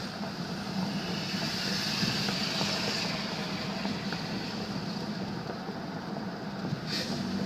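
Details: 2000 Nissan Xterra: engine drone with a rough metallic grinding rattle when accelerating, worst pulling away from a stop and sometimes vibrating at a standstill, present for over 6 years; fixed, cause was a rusted, broken-off exhaust pipe heat shield.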